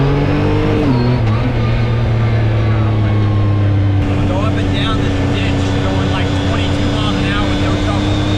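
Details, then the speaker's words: 2019 Yamaha YXZ1000R SS side-by-side, 5-speed sequential paddle-shift gearbox, neighborhood drive: engine pulling with a steady gear whine that drops as revs fall through a shift, then holds level; normal gearbox whine. "So let's take this thing for a quick spin, just so you can hear the gearbox whine and see how fun this is. Like, banging of the gears is what makes it pretty awesome."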